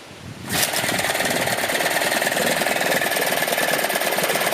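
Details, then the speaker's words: Dumpster-found Yamaha two-stroke outboard in a bucket of water, gears being checked, forward works: steady fast idle with even crisp firing, no misses or knocks; healthy after only restringing, plug check and gas down the carb. "Forward works. Everything works. Kill switch even works. Well, there you have it. This little thing's alive."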